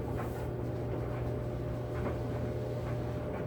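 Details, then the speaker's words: Kenmore 80 Series electric dryer running after motor replacement with a new genuine Whirlpool motor: steady low motor hum with even airflow rush, no knocks, scrapes or squeals; air flowing and heat slowly building, so the dryer is back in service. "Well, I can tell you right now, it's working because the air is flowing. It's running, yes."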